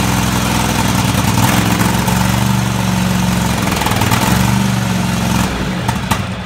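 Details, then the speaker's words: Craftsman DGT 6000 twin-cylinder engine just rebuilt (new fuel line, fuel pump mounted), first start after long cranking: steady, rough-edged idle with slight pitch wander — running normally, normal idle. "alright took a little while but it finally fire it up"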